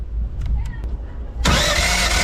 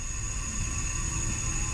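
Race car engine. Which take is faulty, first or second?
second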